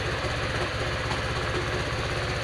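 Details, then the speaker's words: Honda Vario 125 FI, started on a later attempt after failed cranks: single-cylinder engine settles into a steady even idle with a low putter, no knocks or misses. "Lihat, sudah hidup."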